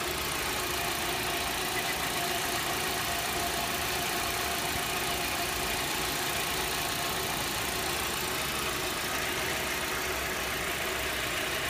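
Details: Audi 80 Cabrio 1.8 at idle, busy and even, with a fine ticking clatter; the owner asks whether this is normal engine noise, and it is unclear whether it is valvetrain noise or a fault.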